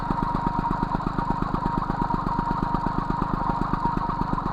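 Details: MBK 51 Magnum moped, stock two-stroke engine, Dellorto PHBG 15 carburettor on main jet 65, mixture screw being adjusted, Arrow Performer exhaust: quick even putter with steady beat, no hunting or stumbling; idling cleanly.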